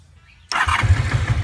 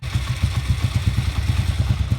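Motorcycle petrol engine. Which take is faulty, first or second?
first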